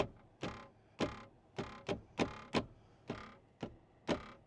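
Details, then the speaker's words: New Tesla Cybertruck cabin: sharp, uneven clacks every second or two from a loose interior part rattling over bumps; needs vibration dampening, repair requested. "when I hit bumps you hear that noise that rattle so I put in a request for that"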